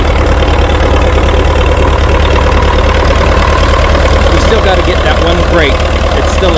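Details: International TD-6 crawler diesel, sitting 11 years, after fixing the cylinder #4 misfire (number four now hot): steady, even chug of about three beats a second with no skips or stumbles, all four cylinders firing. Normal idle.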